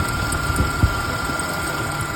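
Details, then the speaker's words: 1993 Ford Ranger 2.3 L running cold, mic near engine belt area; thin steady high squeal over even idle rumble, traced with mechanic's stethoscope to worn belt tensioner idler pulley bearing, pulley replaced. "podemos ver que se oye como un chillido lo está haciendo frío en los culeros en la banda"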